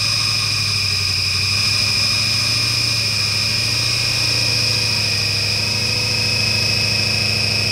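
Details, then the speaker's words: 1996 Ford Mustang GT, started: constant high-pitched squeal over a low steady idle; owner suspects the alternator, which he thinks isn't charging. "I don't think the alternate is working I think that noise is probably the alternator so I'm going to let it sit"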